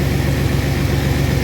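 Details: 1997 Chevy Astro van that sat three years, started easily despite no power to the starter, brake fluid smoking on the exhaust: smooth, steady low rumble at idle, no misses, knocks or rattles; sounds healthy.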